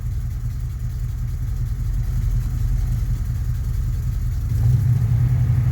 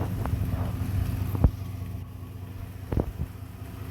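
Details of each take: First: 1991 Chevy Silverado that struggles to start cold and gets no fuel until the accelerator is pressed; started with a little gas, it idles very rough with irregular pulses and a faint stumble, firming up near the end, then throws a code. Cause unknown. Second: 1991 Chevy Silverado idling low and even with no hunting or stumble, a couple of stray thumps in the background, after the MAP sensor ground wire was jumpered to ground; it runs better.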